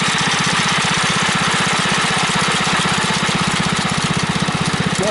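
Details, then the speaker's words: Customised Bolens Husky 600 garden tractor: steady fast single-cylinder putter with a light loose rattle from the foot-pedal support bracket, whose bushing has worn out over the years; foot on the pedal stops it. "That bracket, that bracket is what's causing it to rattle just a little bit. I just keep my foot on it. It's no problem."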